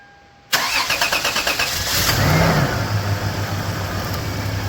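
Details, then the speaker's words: Toyota Hilux, first start after sitting 20 years and a newly added fuel pump, cranks briefly and fires quickly into a steady smooth idle. Normal engine start. "Dude, it sounds good. Except for that, I guess."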